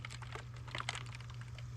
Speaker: I'll have to pull it apart and see what's going on well here's the problem definitely some ice chunks in